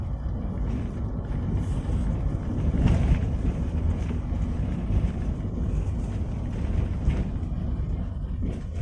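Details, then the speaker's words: Toyota Avanza rear underbody on a rough, corrugated road after replacing the rubber exhaust mount that caused a rear knocking sound; only dull tyre rumble and thumps, no metallic knock, exhaust mounting quiet – normal. "Jadi kita coba suara di bagian belakang setelah kita ganti karet tempat knalpot ya ini"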